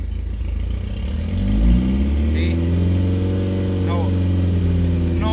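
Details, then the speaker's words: Toyota MR2 petrol engine after the throttle position sensor was readjusted; it had been cutting out around 2000 rpm, but now idle smooths and revs rise and hold steady without stumbling or cutting out. "Idle smooths out a little bit, now let's come back in here and do it again."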